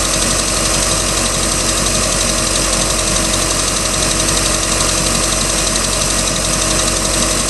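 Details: 3.0L Mercruiser boat engine, second owner, ticking started at beginning of season: steady idle with light fairly regular tick, about four per second; cause unknown.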